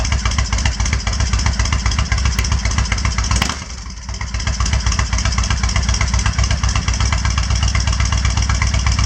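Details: Kawasaki Vulcan 1500 V-twin after finding a dead fuse and priming the fuel pump: steady thump with a brief dip that recovers, even idle with the choke off; normal idle, smoking afterwards.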